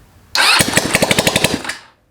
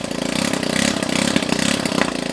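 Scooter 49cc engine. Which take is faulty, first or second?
first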